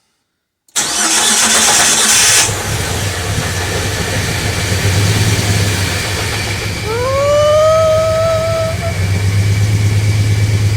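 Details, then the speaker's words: Cranks and catches, then uneven, lumpy, wavering idle from a Jeep TJ started after sitting a long time on year-old gas; running rough, likely stale fuel, possible vacuum leak, clutch apparently also not working. "And it's running rough. This is year-old gas as well, so I'll need to top the gas up, and I need to figure out what is going on with the clutch."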